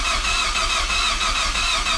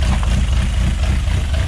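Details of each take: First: Project Zero 18 first start attempt with Emerald ECU, both fuel pumps running, spark plugs just fitted, 2.5–3 bar oil pressure: even cranking about three beats a second for six seconds, never catches; owner suspects fuel or ignition timing. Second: Project Zero 18 engine at first start: a deep, uneven loping idle just under 1000 rpm, lumpy but steady. This is normal for individual throttle bodies, which are nearly in sync and checked with an air sync meter. Oil pressure is just over 4 bar, and the unplugged Mazda alternator charges 13.5 V.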